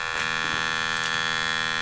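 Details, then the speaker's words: RCA Victor 26BP radio speaker after reseating the cone, fed a waveform generator test tone: a steady buzzy tone, clean and even, with no scrape. The voice coil rub is fixed. "Sounds good. I'll turn the waveform generator off. Let's see what it does. That's good. There's no scrape."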